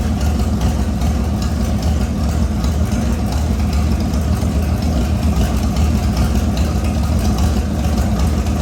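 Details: LS V8-swapped S197 on its first start after a rebuild with new crank bearings and assembly lube, no coolant yet: a deep, steady V8 rumble at an even idle with no knocks, misses or rattles. Healthy, rpm dipping as the motor learns to idle.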